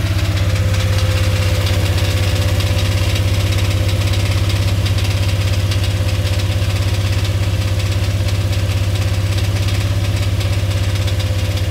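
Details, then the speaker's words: Dodge Dakota 5.9L 360 Magnum V8 at fast idle (feeler gauge behind idle screw): heavy even clatter about two knocks a second deep in block, like rod bearing; heard most on block and transmission housing, bottom end or transmission suspected. "and it's either coming from the bottom end or from that transmission because when I touch the block or even the transmission housing that's what I'm hearing it the most"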